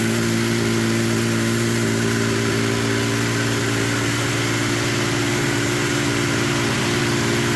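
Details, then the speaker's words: Yamaha triple snowmobile engine swapped into a Polaris RZR XP, started with the key switch bypassed after teardown; smooth, even three-cylinder idle with a steady beat, no knocks or misses, running healthy. "hell yeah sounds good doesn't it sounds good"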